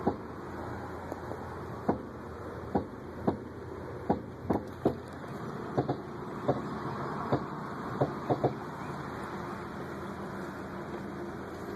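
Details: 2004 Acura TSX front end clunking for a year despite replaced axles, ball joints, stabilizer links and lower control arms; irregular sharp clunks in groups over the car's running noise while rolling on the road.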